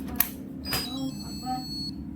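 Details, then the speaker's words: Yongma digital rice cooker after 12 V injected from an adapter into the step-down supply output: at switch-on a clear, strong, steady high-pitched beep, louder than before, and it now runs and cooks; regulator IC suspected faulty. "Suaranya juga lebih keras, ya. Oke. Apakah sekarang sudah bisa diproses, teman-teman? Ini sudah berjalan dan berfungsi."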